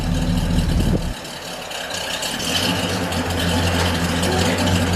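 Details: 1978 Ford XC Cobra just started after 6 years of storage: after a blip the engine settles into a steady, even low idle with no knocks or misses, sounding healthy.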